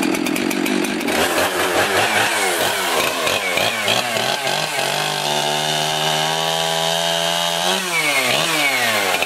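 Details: Jonsered 2071 Turbo 71cc two-stroke chainsaw, about 1997, Walbro carburetor, 3/8 pitch chain, cutting logs: snarl pulls down to a steady lower note in the cut, then revs back clean; normal running under load.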